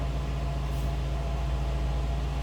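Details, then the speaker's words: 1956 Lincoln Premiere Convertible, 368 cubic inch 285 hp V8 with 401 lb-ft, heard from the rear with exhaust exiting through the chrome bumper; deep even burble, no miss, tick or knock; normal idle. "Slip around to the back so you can hear this run."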